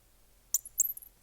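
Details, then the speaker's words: Pen twist mechanism on a turned pen, nib screwed in without paste wax: three short, sharp, high squeaks of dry metal rubbing as it twists; fixed by a little paste wax. "what it would have sounded like otherwise that's horrible that's horrid okay so regardless unless you're giving this pen to your enemy you want to put a little bit paste wax just a little bit it doesn't take much"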